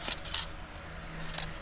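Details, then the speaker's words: Removed worn clutch disc from a 2005 Toyota Tacoma X-Runner, 4.0 L V6, 6-speed manual, shaken by hand: loose metallic jingling, more rattle than a sound disc should make; lining worn close to the rivets. "and you can hear it rattling around pretty good it shouldn't be making that much noise"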